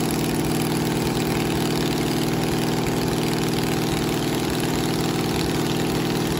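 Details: 1969 Camaro 396 big block Chevy V8 idling after a new cam and new lifters replaced a badly worn cam lobe that caused a weak number seven cylinder. Steady, even lope, no ticking or miss; healthy idle.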